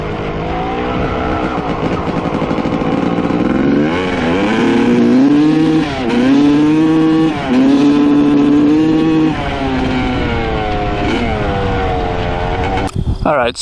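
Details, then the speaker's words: 1995 Honda CR250 two-stroke after float height change: first rev runs clear and crisp, then as it warms revs sag with a muffled, hesitant pull and won't clear out; bog when warm. "you could hear the first run up and down sounded really good really crispy cleared out completely and then as it got warmer and warmer it seems like it's getting boggier and boggier"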